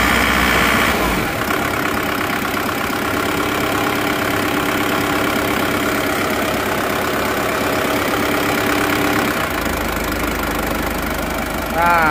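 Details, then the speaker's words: Diesel engine after repair, idling after timing moved back to original forward position (retarded timing made starting hard): even, steady clatter, no shaking like before; normal idle. "rata ya tidak goyang-goyang seperti kemarin ya"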